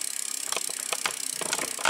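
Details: Rear wheel spinning freely on a 2012 Trek Navigator 2.0 after the freewheel gear set was replaced and the hub reassembled; a quick, even run of light ticks from the freewheel pawls, clean and healthy.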